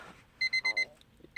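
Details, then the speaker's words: 1999 Honda Civic LX that won't crank and overheats: four quick, even high-pitched dash warning beeps, then another pair after a pause, showing the battery has power. "Oh, and as you can see, the battery and everything's working. You can hear it beeping."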